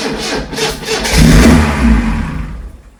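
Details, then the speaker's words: Lotus Elite laid up ten years in a barn, old fuel: starter cranks, engine catches briefly on easy start, revs once, then dies within seconds; running only on the spray, fuel pump no click, likely seized, fuel starvation. "As you've heard there, with a little bit of easy start, it was a goer. But it was just running off the fumes of that."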